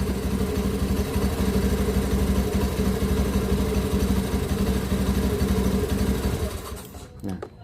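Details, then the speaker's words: 2016 Honda Beat ESP injected scooter that kept stalling: with a battery cable disconnected, the even single-cylinder idle of about three thumps a second dies within a second, showing the charging system is faulty. "untuk menunjukkan bahwa sistem pengisiannya ini Trouble ini saya akan lepas salah satu dari kabel Adya kalau tidak normal ia akan mati kalau normal diam masih hidup"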